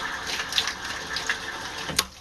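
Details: Sediment filter automatic backflush, triggered via a modified pressure switch whose contacts close to cut power to a condensate valve; steady watery hiss of water dumping through the valve with a sharp pop near the end; normal backflush discharge.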